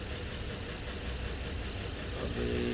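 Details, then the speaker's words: Nissan Murano V6 at idle during scan-tool power balance test, cutting cylinders one at a time: lumpy uneven idle shifting as a cylinder is cut; cylinders 3 (under intake) and 4 show no change, dead. "Number 3 जो नंबर 3 सिलेंडर है ये बिल्कुल काम नहीं कर रहा है। और नंबर 4 भी कोई चेंजिंग नहीं आ रहा है। नंबर 4 भी काम नहीं कर रहा है, कोई चेंजिंग नहीं है।"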